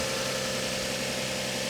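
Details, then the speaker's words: Copart auction car in Tulsa, engine idling; smooth even idle with steady hum, no knocks, ticks or misses, engine sounds okay but very dirty, no timing belt sticker seen; normal idle. "you got a gigantic battery but the engine sounds okay it's just really really dirty"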